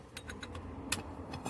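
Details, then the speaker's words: Citroen Picasso, one front wheel lifted on a jack and turned by hand: sharp irregular clicks and creaks; the strut top bearing is tight and catching, not rotating freely, though it might not be this side. "Might not be this side, but so at least sounds like the strut up bearing is tight and catching."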